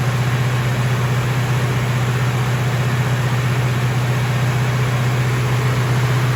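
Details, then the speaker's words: Freshly rebuilt 454 V8 in a 1970 Chevelle at its first start-up: steady deep drone that sits fast and never settles; engine runs on because the idle is set too high. "okay okay it's running on a little bit um that's because the idle's so high"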